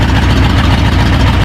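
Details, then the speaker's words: Ford F-100 after a V8 swap: steady, deep V8 idle with no stumble or miss, then it cuts off. A week-long running problem turned out to be the carburetor, and it now runs smooth. "I was messing with this for a week ended up just being the carburator I thought maybe I screwed something up but it sounds fine"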